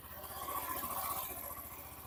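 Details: Hero Xtreme 125R single-cylinder at 11,268 km, idling without throttle, mic held near the engine: soft, even steady beat with no knocks or rattles; engine sounds healthy despite owner's hard riding.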